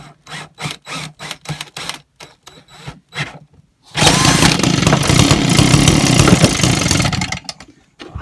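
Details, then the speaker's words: Old Echo two-stroke blower running on choke because the stop switch isn't connected yet: catches after a few pulls and holds a steady high buzz, carburettor working fine though a diaphragm and gasket are still planned. "i've got stuff on choke at the moment because the switch isn't connected i'm going to sort out now so it switches off"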